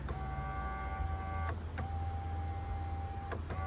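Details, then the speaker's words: 2020 Ram 1500 right rear window: short bursts of steady motor whine as the switch is pressed but no glass travel; motor spins, regulator broken; motor and regulator replaced. "The window motor is working, I can hear it spin, but the window doesn't want to go up or down. So here, now you can hear the motor going up and down, spinning, but the window doesn't want to roll up or down."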